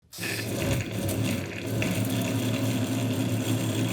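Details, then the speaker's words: Roughly 20-year-old bathroom exhaust fan with a worn blower motor: loud, rough, rattly drone like a jet engine, with a loose internal part buzzing against the housing. "Is your bathroom fan sound like it's about to take off into space? don't call an electrician."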